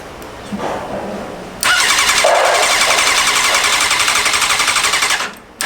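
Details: Stolen and wrecked Honda CBR600RR being rebuilt, start after a leak was fixed: quiet lead-in, then it catches at once and settles into a quick, even pulsing idle with crisp exhaust; healthy start.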